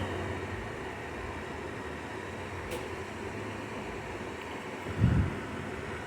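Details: Hisense dehumidifier started after almost two months unused, room humidity 50%, washer running in background: soft steady airy whoosh with faint low hum, no knocks or rattles; fan running normally before compressor starts.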